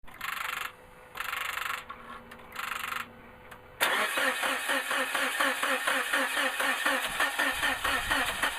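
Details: 2000 Suzuki Grand Vitara that won't start after a water pump replacement: a few chimes, then the starter spins the engine steadily for several seconds without it ever firing. Crank, no start.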